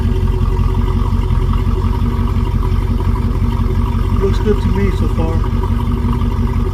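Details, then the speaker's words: 1971 Rover P6 3500S V8 US export, running after fuel pump replacement, no fuel leaks seen: steady even low burble, no misses or knocks; sounds good, normal idle. "Let's give it a try. Sounds good. I don't see two on the floor."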